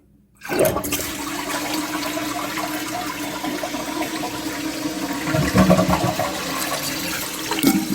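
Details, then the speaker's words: Toilet after Fluidmaster 400A fill valve install, water level thought to be a little low; short whoosh that fades quickly without strong swirl, weak flush, level likely needs raising. "You could hear it's not a great flush. I want to make sure that there's enough water to flush everything down, but that's about it."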